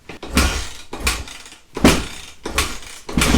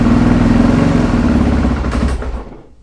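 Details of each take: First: 2008 Suzuki RMZ450 after a total rebuild and a fix to the auto-decompression assembly, kicked with the enricher on. It starts after four or five slow kicks and settles into a crisp, even idle with blips. Starts fine, though the owner notes the idle runs low. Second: 2008 Suzuki RMZ450 after total rebuild and auto-decompression fix, started in four or five kicks: single-cylinder thump sags and dies within about three seconds; idle set a little low, won't hold idle yet.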